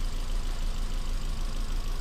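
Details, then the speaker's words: Ford Fiesta, possibly 1.25, with a cylinder one misfire code at a low, lumpy idle as one cylinder drops out. Compression test read cylinder three OK but cylinder one only about 20 psi: misfire from low compression. "that was cylinder three that was still in the four and cylinder one was not even it was reading twenty psi and I let you count even air nothing"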